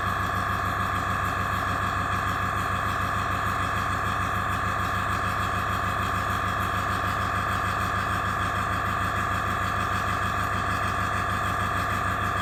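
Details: AS196 airbrush compressor after cleaning its check valve, restarting to refill the tank after air was released; even piston pulsing about three per second under steady hum, no hiss or faltering, no leaks at joints; normal.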